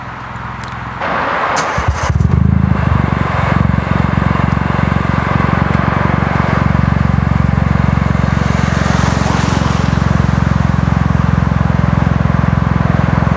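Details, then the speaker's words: Ford Fiesta 1.0 EcoBoost with newly fitted Cobra Sport resonated exhaust (res, straight pipe, back box; heat shield bent to stop knocking), revved on street: quick rev then deep even burble, no knocks or rattles; healthy exhaust. "I've just pulled up on a side street now, and I'm going to get some clicks for you, show what it sounds like, try and make it flame, stuff"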